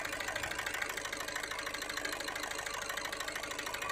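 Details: Skoda Rapid/Fabia 1.6 TDI diesel at idle with check engine light and glow plug light: sharp fairly regular clatter near three knocks a second and uneven beat, heavy vibration; unplugging connectors and scanner codes show injectors 1 and 4 not working.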